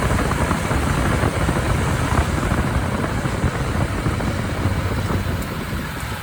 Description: My 2022 Jeep Willys JL makes this sound going slow from 20-40 up a hill or when I am trying to get up to speed giving it a little gas on any level surface.